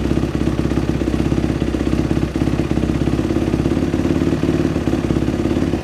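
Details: Dirt bike after a top-end rebuild, refired after idle speed adjustment restored the fuel squirt; steady, fast single-cylinder popping around two hundred beats a minute with an even rattly idle; normal idle.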